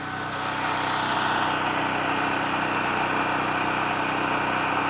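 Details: New cheapest Chinese mid-size gas generator, first start-up run without load: steady, even hum at constant speed with no misses, knocks or surging; running normally.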